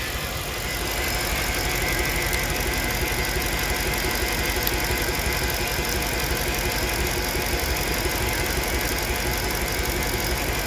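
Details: 2008 Mercedes-Benz ML350 GL petrol engine idling with an uneven, lumpy beat from a misfire on cylinder 7; low compression suspected.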